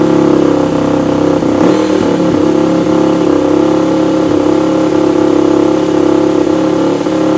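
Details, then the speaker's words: Rebuilt Yamaha YFZ450 quad, first start after the carburetor mid-body rebuild and jetting: the freshly started single revs unevenly and stumbles with sharp pops, and the exhaust flames at the end despite a spark arrestor. It idles somewhat high; the owner thinks the jetting needs more work. "It runs with a little flame to boot at the end. So yeah, we're gonna have to do a little more with the jetting, I think, and a little more with that, but it idles sort of high."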